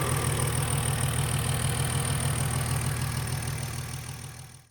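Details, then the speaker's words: BMW E46 M54B30 on E85 with M56 valve cover, MS43 ECU and retrofitted pencil coils, after a coil replacement: even idle with light quick ticking, about three per second, from the loud fuel injectors; normal, running fine. "okay so here we have an E46 BMW with the m56 valve cover and it's running on E85 by the way that ticking noise you hear in the video is the fuel injectors they're kind of loud"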